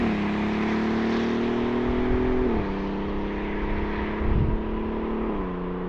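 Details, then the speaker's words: 2009 Audi TT 8J mk2 3.2 VR6, close to 300,000 km, under way: a smooth, steady engine drone, pitch holding then stepping down cleanly with smooth gear changes; healthy exhaust note while driving. "Yeah, that car, it really is nice to drive, and that note from the exhaust, it just puts a smile on your face."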